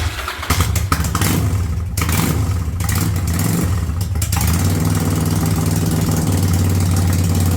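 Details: 1985 Yamaha Virago V-twin with a single-carb conversion, cold, choke coming off and idle turned up to about 1000 rpm: a few uneven catches and blips, then a steady, even idle with no misses or knocks.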